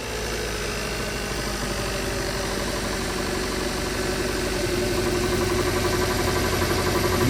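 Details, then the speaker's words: 2016 Kia Soul 1.6L idling with an uneven, lumpy beat and heavy shaking: P0300 random multiple misfire on cylinders 3 and 4; compression checked and plugs replaced, the ignition coils proved defective. "Missfire. Está temblando el motor y bastante."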